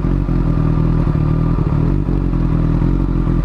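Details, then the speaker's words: Honda Hornet motorcycle in neutral at idle after warm-up: low idle beat stumbling with uneven thumps and brief dropouts every second or so; misfiring, cause not confirmed. "Ó, ela tá falhando. Não tá muito legal não, ela."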